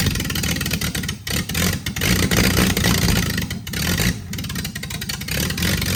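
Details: Freshly rebuilt Triumph TR6 six started cold, on chokes, carbs not yet adjusted; runs unevenly, revs surging and sagging with some clatter.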